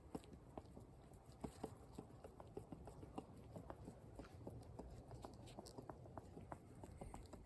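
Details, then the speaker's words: 2004 Ram upper control arm removed, worn non-replaceable upper ball joint rocked by hand gives sharp uneven clicks and light knocks; caused knocking over washboard roads, noticed after new shocks stiffened the front. "So yeah, going down the road every time, you know, washboards especially, yeah, you could really hear that knocking."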